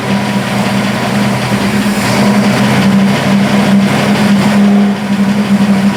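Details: Burnt Buick project car after refitting the valve covers with gaskets and topping off oil, rear wheels off the ground in drive; steady, even hum with no clear knocking; earlier knock likely from a loose valve cover hitting a rocker.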